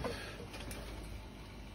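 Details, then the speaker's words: Dunkirk steam boiler converted to single-zone hydronic heat feeding a fan coil on the air handler, house not heating: circulator pump heard running with a quiet, steady low hum, no rattle, grinding or surging; system pressure about 15 PSI. "And if we go over to the circulator. Oh, it's running. Circulator is running. You can hear that."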